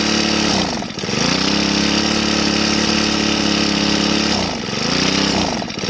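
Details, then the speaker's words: Two-stroke grass trimmer run until its tank was empty, then refilled: the buzz sags and stumbles as the throttle opens, then briefly recovers. Air in the fuel system stops fuel delivery, so it won't rev and dies. "ahเวลาเราเร่งไปมันดับนะครับเพราะว่ามันมีอากาศในระบบมันนะครับมันก็จะทำให้ให้ช่วงที่มีอากาศมันก็จะไม่น้ำมันก็จะไม่จ่ายเข้าก็เล็กไม่ขึ้นนะครับ"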